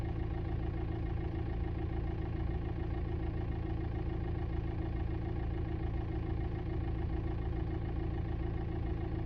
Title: 2006 VW TDI Jetta Knocking and Buzzing sounds behind Passenger side Dashboard￼